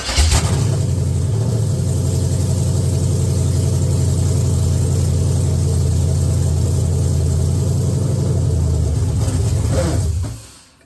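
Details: Chevy S10 with LS V8 swap, first fire-up, running via jumped wires, fresh manifold paint: V8 starts, settles into steady even smooth idle, shuts off cleanly; no oil leaks, healthy.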